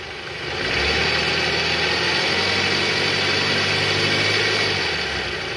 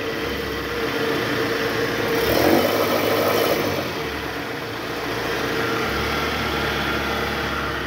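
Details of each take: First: 2008 Toyota Harrier, 185,000 km, AC on, in R, revved to about 1000 rpm, after replacing worn tensioner: rises to steady raised idle, smooth, growl gone; balancer shaft still loose. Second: High-mileage Toyota Harrier, engine running with AC on, in R and revved around 1000 rpm: a low, rough growl from the worn original belt tensioner, which vibrates because its spring is weak; the tensioner and a loose balancer shaft were replaced.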